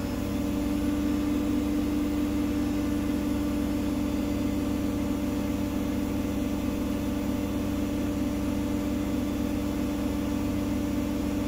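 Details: Gorenje SensoCare WAE74 washing machine after motor bearings replacement, full 1400 rpm spin: very quiet smooth even hum, steady tone, no rumble or grinding; motor healthy, only the worn pump audible.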